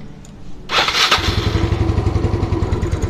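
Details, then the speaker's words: Old Yamaha Mio scooter with a hard-starting history (won't start on cold mornings, only runs smoothly once warm), after valve clearance set correctly: fires straight away on the electric starter, then settles into a steady, even single-cylinder idle; normal start and idle. "Ketika setting klep dapat yang pas settingannya, nah pasti begini."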